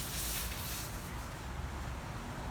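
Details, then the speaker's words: Sprinkler system with 2 of 4 zones not working: steady soft hiss of pressurized water rushing through the pipes with a low rumble, pressure too weak to lift the sprinkler heads; solenoid loosened but diaphragm not moving, cause suspected, not confirmed. "I can hear the water that's it's pressurized it's coming it's going through the pipes it's just not enough pressure to actually lift the sprinkler heads"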